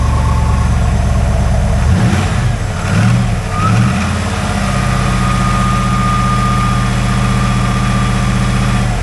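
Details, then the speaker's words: 1995 Chevrolet Corvette C4, 5.7L LT1 V8, 4L60E automatic, 63,000 miles, with oil pressure showing: V8 catches, gives a short blip and settles into a steady, even idle with no knocks or ticks; normal idle. "I'm sorry, 63,000 miles on it. She runs, getting some oil pressure."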